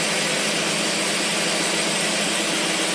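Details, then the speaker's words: Carter AFB 3855 carburetor, possibly from a 1965 Plymouth 413/383/426, tested on a running engine; steady, even idle with a smooth airy rush and no stumbles or misses: normal idle. "unning it's perfect when we start it up and put her through the paces and she's running right there"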